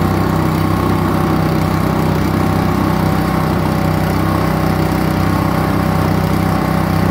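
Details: Kohler SH265 6.5 HP single-cylinder engine, bought used for $50 to re-power a pressure washer in place of a weak Honda, first test start; runs steady and even, no misses or knocks; normal running, owner notes WD-40 burning off exhaust.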